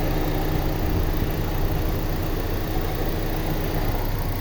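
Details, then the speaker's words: 2001 Honda Civic Dimension, fuel-injected petrol, automatic, never run on gas, with dipstick pulled: steady even low rumble at idle, no misfire, stumble, blow-by or smoke; engine runs very smoothly. "โอ้โหเครื่องสุดยอดนะครับเครื่องไม่พ่นไม่ไอและก็ไม่ควันนะครับไม่มีสะดุดนะครับเดินเรียบมากๆเลยนะครับ"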